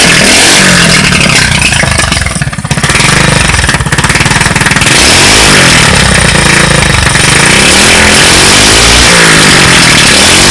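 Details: Street-legal go-kart single-cylinder engine, first start after 5 years sitting, new carburettor, temporary push-mower fuel tank: loud steady running, picking up and dropping evenly with throttle blips; normal running.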